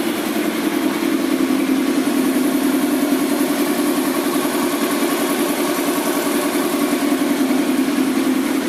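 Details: Kawasaki ZX10R track engine at first start after rebuild: steady fast idle with an even, quick firing beat, no obvious knock or miss; engine idle.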